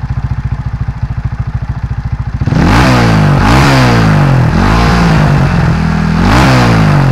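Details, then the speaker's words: Honda Astrea fitted with a Karisma engine, rebuilt at home with a new NPP piston (skirt trimmed), valve and oil-port machining, a new top-end gasket, valve seals and fresh oil. A steady, even pulsing idle, then clean free revs rising and falling smoothly with no knocks. Healthy engine. "Kita langsung tes aja ke suaranya. Pada penasaran kan suaranya? Kita langsung gas."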